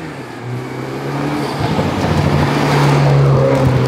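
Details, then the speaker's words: 2012 BMW F30 328i with N20 turbo engine, after a turbo rebuild, new oil seals, hoses, mounts and fresh oil: a smooth, steady drone climbing evenly with speed under load, no knocks; sounds healthy, owner credits the new oil. "but the engine is also sounding a lot better i think it's the new oil"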